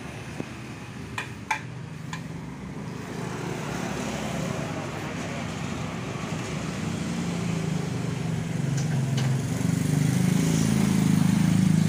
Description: Suara kletek kletek pada motor matic dan pada contoh ini adalah motor yamaha soul gt yang punya fikri, setelah dibongkar bengkel ternyata penyebabnya adapah rantai kamrad yg bunyi dikarenakan karena tensionernya rusak 🤣.